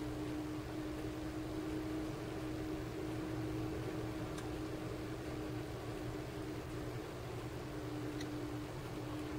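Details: 12 V 30 A DC power supply after its very loud stock cooling fan was replaced with a larger, quieter fan: a soft, steady whir with a faint even hum and no rattle or bearing noise. Normal fan running.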